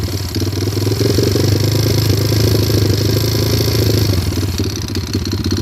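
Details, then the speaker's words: Stolen-recovery single-cylinder pit bike idling with a light rev: a busy metallic rattle on the exhaust beat, unchanged with the clutch pulled; owner wonders if it is rod knock, valves or timing chain. "I'm getting a rattle noise. Uh it's a stolen recovery. If y'all could take a listen, leave some comments or something."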